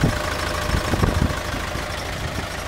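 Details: CAT/Perkins 3054C diesel on a wood chipper, cold start after three years idle, new filters, fluids and a replaced corroded battery cable: rough, clattery catch settling into a steady low idle with even firing; normal.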